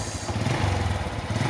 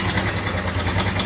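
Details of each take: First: Honda Revo motorcycle after repair of a rough sewing-machine noise from the cam chain area, with oil level checked normal: small single ticking over with a soft even putter and no chatter; idle now smooth and healthy. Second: Honda Revo motorcycle at idle, complaint of rough engine noise: steady idle with a fast light sewing-machine clatter that disappears when revved; cam chain rattle.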